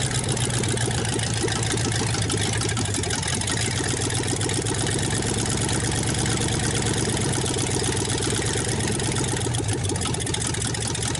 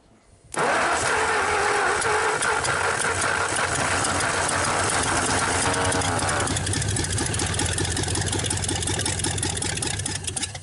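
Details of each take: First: 1954 Ford Y-block 239 V8, first start in 20+ years, earlier cranking sounded flooded: steady, even idle with loud raspy exhaust, very little smoke, no knocking or lifter tick; healthy old engine. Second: 1954 Ford Y-block 239 V8, first start attempt after 20+ years: steady fast cranking around three and a half beats a second, but it never catches or fires. It sounded flooded but may not be, and a plug was black.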